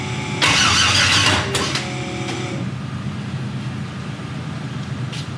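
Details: 1000hp turbo LS Mustang on its first start-up after turbo kit installation: starter churns with a few catches that die away, nearly firing but never settling into idle, an unusually difficult start.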